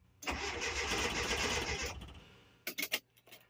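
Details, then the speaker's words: 1981 Datsun 720 in neutral with a new starter, new positive battery cable and both coils replaced: strong, quick, even cranking for under two seconds, then a few clicks. It sounds a touch lopey, and the gauge reads no oil pressure, so the sending unit is suspected. "She cranks. She cranks nice. It sounds pretty good. Let's listen and see if it sounds all lopey or if it's pretty even. It's a touch lopey, but I'm going to take that right now."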